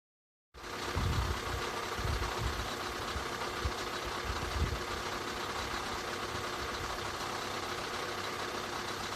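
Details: 2013 Skoda 1.6, 105 hp, idling. An uneven, irregular knock-like tapping over the run. Abnormal engine noise, source unknown.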